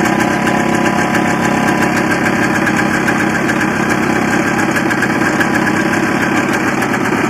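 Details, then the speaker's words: Barn-find 1984 Honda Odyssey two-stroke, cold start on gas mix poured into rebuilt carburetor with choke on: busy, fairly even idle at steady pace without bogging; sounds healthy, though owner wonders if it's running lean. "to me it sounds like it's running pretty good especially when you get a little bit of fuel it seems to wind right up and want to take right off"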